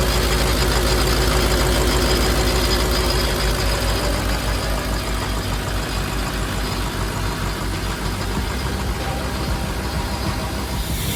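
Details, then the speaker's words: Big diesel in a long-abandoned Ford F550 settles into a steady, even idle with a loud rushing turbo spool, on second start after replacing the lift pump and cleaning the harness; runs clean; normal idle with loud turbo. "sounds like a jet. All right, just like that, guys, she's running nice and beautifully."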